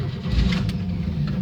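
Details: 1971 Chevy C10, six-cylinder, three-speed, sitting a long time, cheap battery charged two days. Low, lumpy cranking with a few uneven catches, nearly fires but won't pick up; hard start after sitting.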